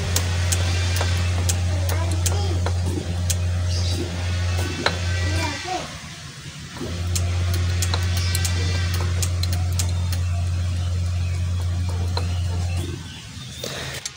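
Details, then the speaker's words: Old Lancer GTI, 4G67 engine, non-starting after ECT replacement and injector cleaning, cranking with ignition coil unplugged: quick light injector ticks in bursts behind a loud low hum, showing injector fires; injector clicking while cranking. "nah kemudian nanti dengarkan dari ini kalau ada salat dik dik dik dik dik ya gitu berarti injectornya berfungsi ya"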